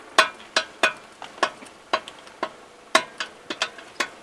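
Sharp dry clicks, roughly three a second, with no engine noise behind them, while turning at full lock: a worn outer CV joint.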